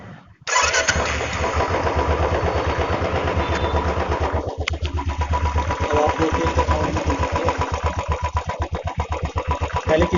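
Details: Royal Enfield Classic single, after a fix for a clutch-side noise (a loose 13 mm nut had been striking and was tightened). It fires up and settles into an even thumping idle of about four beats a second, with no rubbing or knocking: healthy.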